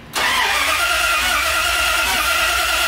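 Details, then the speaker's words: 1978 Dodge Power Wagon just fitted with a new starter and long-tube headers; brief crank, then catches almost at once and settles into a steady, even run with no starter rattle: normal cranking and start. "nice well that's a good sign number one the starter starter doesn't rattle it does it sounds way good"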